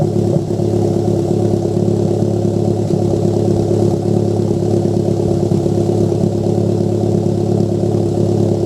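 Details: Toyota MR2 turbo running steadily with uneven, stumbling pulse and occasional exhaust pops; exhaust popping from a misfire.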